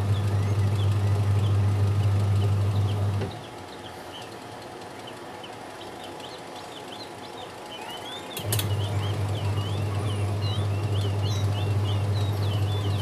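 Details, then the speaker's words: AQUA QW-781 XT twin-tub washing machine wash motor tested after replacing the dryer seal and drain hose; steady low even hum, cutting out a few seconds then returning smooth; wash motor running normally. "normal sobat pengering sudah normal kemudian pencuci juga bagus"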